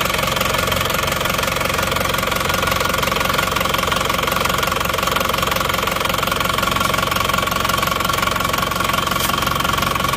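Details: Cold Isuzu Panther diesel idling after a morning start with temperature not yet up: steady clatter with a regular knock about three times a second, with smoke already showing. Compression measured only 15 bar, caused by a burnt exhaust valve. Engine coming down for overhaul and ring replacement.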